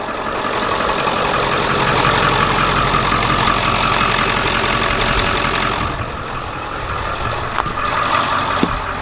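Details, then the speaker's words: 7.3 turbo diesel van idling after new alternator install: light chirping tone over the diesel clatter as the serpentine/alternator belt runs off the side of its pulley, possibly misrouted; shut down and rerouted. "Oh, the alternator belt was just on the side. The belt was on the side. Good thing I shut her down."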